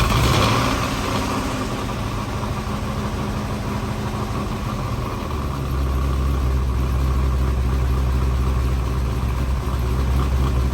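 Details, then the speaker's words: C5 Corvette LS1 fitted with 243 (LS6) heads and a Track Weapon cam, first start: steady V8 idle with busy, fast valvetrain clatter over the firing beat; pushrods found too short, giving excess lash. "So that noise can really make you feel like you blew your engine up, but it is just the fact that my push rods are just not long enough."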